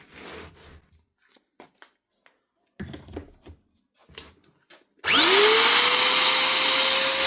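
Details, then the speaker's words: Heavy-duty power tool after motor bearing replacement: spins up quickly to a clean, steady high whine with no grinding or rattle; runs smoothly after repair. "Two U bearings and that keeps us good quality machine up and running again."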